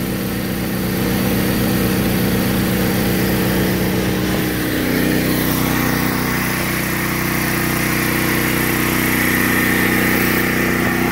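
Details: DuroMax XP12000EH generator powering a whole house through a GenerLink transfer switch, fridge, freezers, humidifier and lights on; even engine pulse that sags and recovers as appliances switch on and off: normal running under load.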